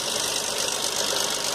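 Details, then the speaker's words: Dodge Journey engine at idle: dense, steady metallic rattle with no clear knock rhythm, coming from the timing chain area; slack timing chain suspected, not confirmed. "fazendo vocês de mais um vídeo ea retórica uma jovem aqui dói o barulho do motor aqui o barulho vem dessa região é votar desmontando para avaliar para ver o que pode ser seu concorrente comando"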